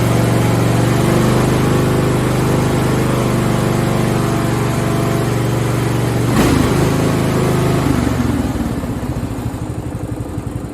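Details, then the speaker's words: Craftsman riding lawn tractor (917.273760) after the carb and fuel fix. The idle mixture screw had no effect, so the carb was starving for fuel; now run without the filter. Steady, even single-cylinder putter eases down smoothly with no stumbling; normal running. "So my fingers are crossed. Woo! That sounds a lot better."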